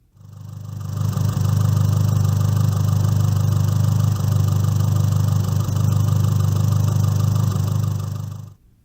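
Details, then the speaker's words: MultiAir engine at hot idle in sport mode with air conditioning off, failsafe mode triggered by disconnecting the blow-off valve: a steady, harsh, abrasive knocking about three or four beats a second, which is the MultiAir failsafe mode knock. "now this is what the multi-unit sounds like in its failsafe mode as before the engine is at hot idle in sport mode with the air conditioner off"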